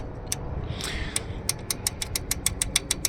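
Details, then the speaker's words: 2017 Jeep 3.6 V6 at idle, intake off: sharp regular ticking about three per second over steady idle from collapsed/loose rocker arm roller lifters on rear bank. "that's what you're hearing that one's this one's not bad but it's following up with this one"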